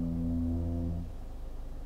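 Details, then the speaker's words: Genesis GV70 SUV creeping forward slowly in traffic-style driving: deep, wavering moan about a second long, like a sinking ship, then fading; low-speed brake groan. "The brakes are quite noisy when you're just creeping along at slow speeds. Have a listen to this. So imagine you're like controlling the car in traffic, just easing forward."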